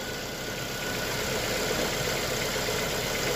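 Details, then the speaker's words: Lada Vesta, warm: smooth, even idle hum with a soft steady pulse, no knocking or stumbles; running smoothly, though a knock reportedly returns at other times. "ну вот движок вообще перестал шуметь вообще никакого шума нету двигатель работает ровно вообще ровненько"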